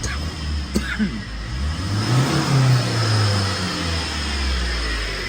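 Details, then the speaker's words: Tata 2.2 diesel (140) with battery and check engine lights on and alternator not charging: revving gives a thin, steady high whine from the front of the engine, from worn alternator and tensioner pulley bearings. "อ่ามันมีเสียงหอนอยู่ทั้งด้านหน้าด้วยนะเนี่ยแปลกๆไม่รู้ว่าอะไรดังนะคอแมดังหรือลูกรอกดัง"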